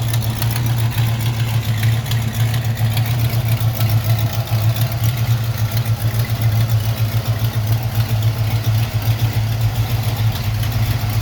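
Idling car engine with a steady low drone and a faint rhythmic puffing, pointing to an exhaust leak.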